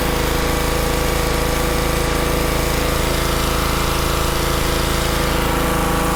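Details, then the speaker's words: Honda pressure washer that wouldn't start because of water problems in the engine, running after the problem was cleared. A steady, even small-engine chug at about three beats per second with no misses or surging; it runs cleanly. "And there we have it. So it was just the pump that was having, well, excuse me, the engine was having water problems."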